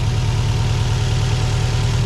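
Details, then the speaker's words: Car with suspected vacuum leak (hissing heard while driving; hose possibly come off), idling after the work: steady, even idle with a low rumble, no audible hissing, vacuum or air leak; hoped fixed, check engine light being cleared. "i don't hear any hissing or anything like that or any audible vacuum or air leaks hopefully we fix the problem but we'll see"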